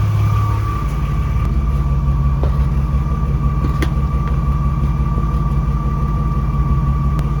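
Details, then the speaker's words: BMW E36 idling and revving in the garage: a steady high whine near 1 kHz rides over the engine; the car has made this noise for two years, and the owner does not know its source. "And I mean, this whining noise, the car has been making this noise for 2 years and it did work."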